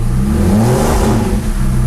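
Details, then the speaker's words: Porsche 911 Turbo 997.2 9A1 rebuilt engine, first start after several cranking attempts with a little gas: catches and revs up smoothly, then settles to a steady, even idle with no knocks or rattles; normal start. "all right let's try it again foreign there we go it's shot up right there okay"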